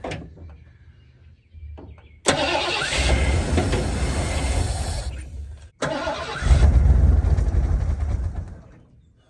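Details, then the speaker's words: 1986 Ford Bronco 351 Windsor four-barrel V8, sat about 15 years, running on fuel poured into the carburetor: it catches quickly and settles into an even rumble, revs rise and fall cleanly, no rattles or knocks. It runs well. "old thing sounds pretty good sitting 15 years [Music] all right she runs good deal"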